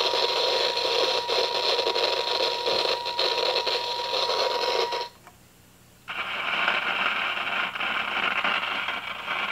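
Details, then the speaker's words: 1953 Hallicrafters Atom four-tube radio, probing the lead to the detector audio tube: steady rushing crackle over a faint tone that builds, cuts out and returns, diagnosed as silver mica disease. "you can hear the the [Music] noise that's that's definitely a silmy disease noise cuz it's building up a little bit kind of comes and"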